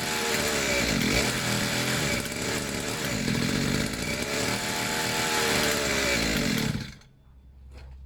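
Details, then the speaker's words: Two-stroke pit bike, fresh fuel, long unused, choke off, idle a bit weird: buzzy engine surges and sags unevenly about seven seconds then cuts out; erratic running from slipping choke. "I mean that wasn't bad um I'm just the full cable would come out so all the idols a bit weird it didn't want to throw a lot but it's been a long time it will need to idle for a while"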